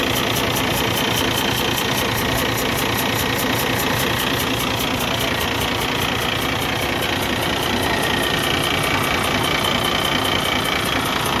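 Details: Cummins ISX15 diesel at idle with a steady, rapid chuffing pulse of about 2.5 per second: compression is leaking into the exhaust, an internal engine failure.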